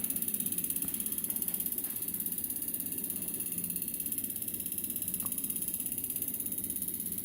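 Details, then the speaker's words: Siemens piezo common-rail diesel injector on an assembly tester, tightened slowly while watching the bar: fast, even ticking then a stable continuous beep, signalling calibration done and the injector correctly assembled. "change and that's perfect as you hear it's beeping it didn't start it started beeping and now it's just a straight beep this means that you've done your calibration or and you've assembled it"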